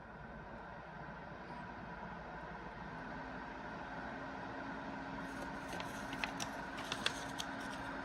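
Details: Acmemation 120mm 4-pin PWM PC case fan (2700 rpm max) at full speed, moving paper: even, quiet airflow rush with a faint steady hum, no rattle or bearing grind; fan running smoothly.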